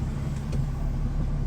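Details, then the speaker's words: 1978 Scirocco with a VR6 24v engine swap, first run after a ground was tightened and the buzzing relay that stopped it starting was cured; low, smooth, even idle with no misfire while waiting for the fan; normal idle. "Doesn't that sound good? Nice and smooth."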